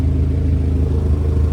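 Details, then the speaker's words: Honda EK with swapped B20 engine on open header, after replacing MAP sensor with a Denso unit to cure start-then-stall: loud, steady low rumble with even firing, no misfire or ticking; normal running. "Currently open header right now, but yeah, should run. Sounds healthy."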